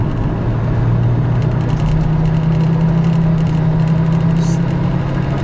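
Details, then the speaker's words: Volvo XC70 turbo on test drive after oil leak and suspension repairs, accelerating up an on-ramp: deep engine drone climbs smoothly under throttle over road rumble, no flutter, whistle or hesitation; turbo pulls healthy. "it's got that turbo pull no problems so I I guess that's it back from the dead from The Butcher Shop back on the road"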